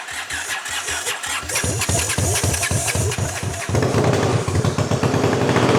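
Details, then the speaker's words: 1979 Honda CX500, formerly seized, on a battery charger with some fuel fed in. Slow cranking chugs at about four per second, then it catches into a lumpy, uneven beat; "not perfect but not bad." Rough running. "nice there it is CRA it's not perfect but it's not bad still runs which is more than we can say about the samurai"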